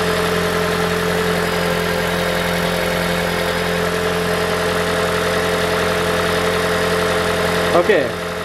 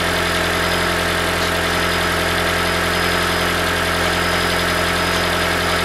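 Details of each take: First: 2012 Toyota Prius V 1.8L 2ZR-FXE hybrid idling steady and smooth after replacing loose exhaust heat shield that caused metallic rattle; noise gone. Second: 2012 Toyota Prius V (ZVW40R, 1.8L 2ZR-FXE hybrid) idling with a busy metallic rattle from the top exhaust heat shield, whose two metal washers are worn, a common fault.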